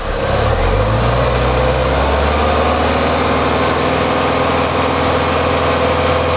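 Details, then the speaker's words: Warm Ford Mustang, revs raised to 2000 rpm as the radiator fan stops, after lambda sensor replacement cured jerking and unstable idle: revs climb, then hold a smooth, steady drone without stumble or rattle; normal. "Je vais monter les tours à 2000 tours. Voilà, le ventilateur s'arrête, je monte les tours."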